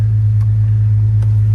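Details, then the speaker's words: Jeep WJ 4.0 after a throttle body shaft O-ring repair for an air leak (P0171) and exhaust replacement from the catalytic converter back; the engine light went off. A deep, steady, throaty exhaust rumble at idle, smooth with no hiss. Normal idle. "to run for a few minutes you can hear it got a good actually it's got a really good nice throaty sound really strong"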